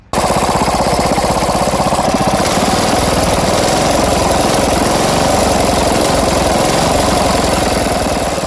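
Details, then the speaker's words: Old tiller engine, brought back to life, runs way too rich despite the carburetor mixture set to minimum, nearly flooding out; loud, lumpy loping firing; plan to clean or swap carburetor. "nd it's running way too rich. And I've set this to the minimum, but it's still running so rich that it's practically flooding the engine out."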